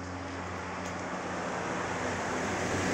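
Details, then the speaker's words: Sharp Spin Magic 7.0 kg spin dryer after repair (previously slow to start spinning): smooth steady hum swelling as the drum reaches full speed, no scraping or knocking, draining fast; spinner running normally. "tining na tining siya oh ang ganda ng kanyang pagkaka takbo ang bilis niyang na-drain wala na oh natuyo niya na kaagad"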